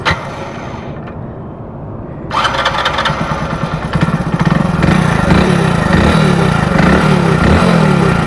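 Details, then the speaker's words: Hero Splendor Plus BS6 motorcycle at idle after start-up; a fast dry rattling chatter from the head at about three per second, which the owner identifies as timing chain noise, not tappets, since tappet clearance was checked. "Sound तो अभी आप लोगों ने सुन लिया होगा इसका sound वगैरह मतलब इसमें चर चर टाइप की नॉज आ रही है जो कि आप लोग जानते हो गाइ टाइमिंग चेन की नॉज है गाइस ठीक है"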